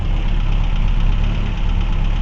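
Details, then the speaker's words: 1979 Renault 17 TS with 1647 cc Cléon engine and automatic choke, just started cold: lumpy, uneven idle running on three cylinders, with loose rockers clattering everywhere before rocker adjustment. "Er läuft auf drei Zylindern, es klopft überall."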